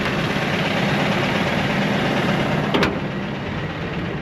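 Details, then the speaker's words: Old Ford F150 4.6 V8 at first start, idling roughly and misfiring with a light uneven metallic rattle about four times a second; oil bottles in bed suggest oil-system trouble, source not pinned down. "yeah it's started hang on here let's take again here okay so we're kind of misfiring a little bit and it's rattling a little bit it's not the greatest"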